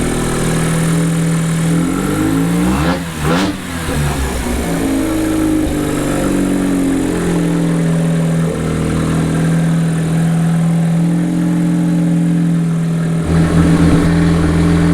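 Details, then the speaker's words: Mazda 13B rotary in a Willys GPW jeep, first start on a cold day, run briefly with the doors shut. The rotary fires with a smooth, buzzy idle, climbs cleanly through blips and drops back evenly: normal running and revving. "did you hear that exhaust this thing sounds good"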